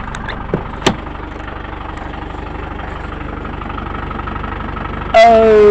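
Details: 1996 Land Rover Discovery 1 300Tdi diesel, neglected but runs and drives, oil leak noted: steady, even diesel clatter at about three and a half beats a second, no misses or knocks; healthy normal idle.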